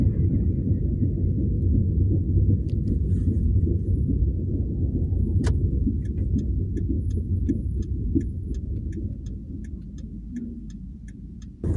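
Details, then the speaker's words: 2008 Hyundai Accent: light regular clicks about three per second while rolling slowly at 5–10 km/h, especially before stopping, seemingly from the rear; hubs not hot, owner suspects hub bearings or broken brake pad piece, cause unknown. "Хотелось бы узнать ваше мнение, что может такое шуршать с задней стороны автомобиля, особенно на малых скоростях, когда ты подъезжаешь к светофору."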